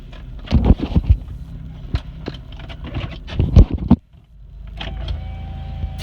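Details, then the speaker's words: 2001 Chevrolet Monte Carlo driving through a right turn: loud irregular clicks and knocks over low car rumble; cause unknown to owner. "it's very nice day out not on noises so we make a right turn [Music] we hear that and I don't know what that is"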